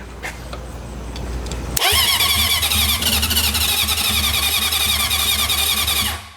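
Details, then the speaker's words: Junkyard Honda CB750F that sat for decades, first start attempt on auxiliary fuel tank with choke: steady starter cranking about three or four turns a second, never fires; cranks but will not start. "oh she tried she wants to go maybe a little less [Music] choke she's going to go"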